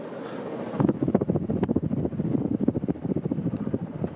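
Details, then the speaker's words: Casablanca Victorian ceiling fan, 1993 motor, on high speed: fast even blade whoosh, no wobble or knock after a bent-down blade was straightened; runs smoothly. "this thing has kind of a crazy startup line for a k55 fan especially of course it's going real fast"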